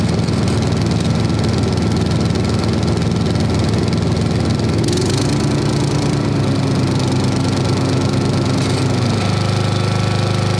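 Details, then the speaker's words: 1990s Snapper riding mower, Briggs & Stratton single-cylinder, sat unused for years and long overdue an oil change, brake on: even, steady putter at idle, no knocking or hunting; "not bad", normal idle. "[Music] that's the idle that's not bad"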